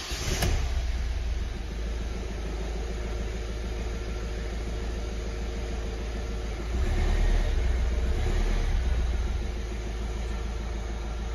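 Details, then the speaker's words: Ford Transit Connect 1.5 TDCi diesel, first start after a head rebuild following timing belt failure, crank sensor refitted; catches and settles into an even idle with a small rev rise midway, no knocks or clatter; normal idle. "well I'm a happy boy obviously to hear an engine run after all that work it's it's very good it's music to my ears"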